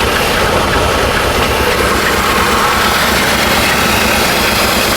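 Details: 1970 Chevy C-40 mechanics truck, sat 15+ years, just started after ignition wiring: smooth steady low idle rumble, no knocks, misses or surges; healthy idle.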